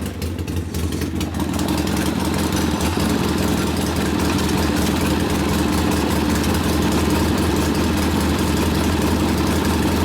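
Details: Rebuilt 1972 Harley Sportster XLCH Ironhead after case repair, restarted with air cleaner refitted, good oil pressure: fires and settles into steady loping twin idle, slightly fast but even, no knocks or rattles; idle to be lowered after break-in; normal idle.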